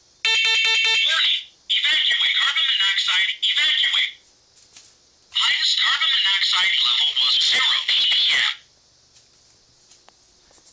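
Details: Brand-new First Alert smoke and carbon monoxide alarm tested after installation by holding the test button: four sharp high beeps, then two long piercing warbling bursts with a pause between, working normally.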